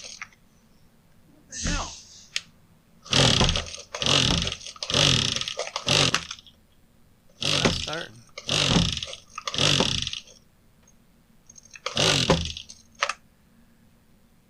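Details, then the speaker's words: Husqvarna 122HD45 hedge trimmer after its clogged cooling intake was blown out: repeated rasping recoil pulls a second or two apart, never catches; cranks but won't start, needs further investigation. "It's not wanting to do anything, actually. So I'm going to have to dig into it a little bit deeper and do some investigating."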